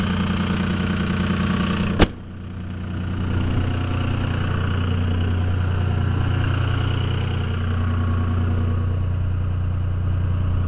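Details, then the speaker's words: 2002 Dodge Ram 24-valve Cummins HO with VP44 pump, cold, high idle near 1200 rpm switched into 3-cylinder mode for extra load and warm-up: sharp click, then deep, slightly lumpy but steady idle; rough sound normal for this mode. "it drops into 3-cylinder mode it just gives an increased load increased exhaust temperatures causing it to warm up faster kind of sounds like a little bit of a mess it's kind of a normal sound you'll hear out of them"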